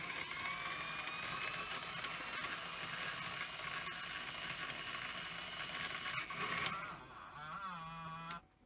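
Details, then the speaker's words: Sony EV-S700 Video8 deck (circa 1988), first power-up with cleaning cassette: steady mechanism whir, then rough scraping and wavering motor tone before cutting off; loading mechanism fault spilling tape. "well that sounded awful oh yes okay so it's the Spilled Out a load of tape"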